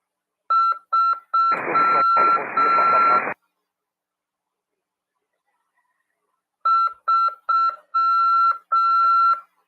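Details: Amateur radio CW lesson: clean high beep keyed in short and long groups, with a brief hiss burst in the middle and a pause; ordinary Morse practice tone.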